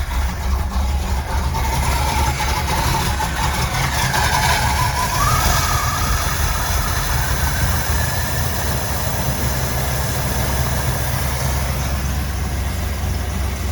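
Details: 334 small-block Chevy V8 after break-in and oil change, warming up: smooth even low rumble, steady beat, no knocks or misses; healthy idle, owner thinks it needs more adjustment.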